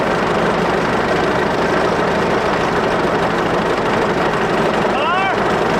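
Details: 1941 Caterpillar dozer, sat for a few years: even, steady low diesel idle with no knocks or misses; pushing the control forward shuts it down, so it will only idle.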